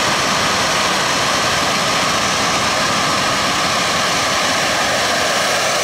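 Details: Jet turbine truck, first start-up after winter, after cleaning a dirt-clogged fuel filter and adjusting the fuel pump: even unbroken turbine roar with steady high whistle, no surging or popping; normal running, better than ever.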